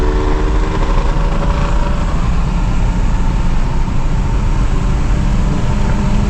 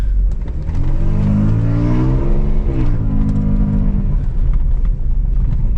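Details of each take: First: Audi A6 2.8 petrol automatic under way with a burnt-through exhaust flex pipe: loud, deep, rough, blatty drone as the car pulls; exhaust leak at the flex pipe, still to be fixed. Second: Audi A6 2.8 petrol automatic, driving after the repair that got it running: engine note rises and falls smoothly through the gears with no misfire or shake under load; the auto shifts normally, though it stumbled earlier at low idle revs.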